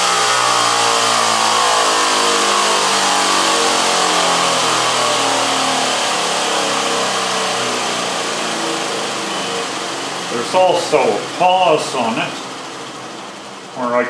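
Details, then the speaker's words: General International 2x42 belt grinder converted to a salvaged 2 hp DC treadmill motor with variable-speed controller and cooling fan, after original motor's start winding and capacitor failed; steady motor whine slides downward as speed is turned back, smooth, no rattles; normal running. "it's a small time delay and it'll start at minimum speed then we can raise or lower the speed"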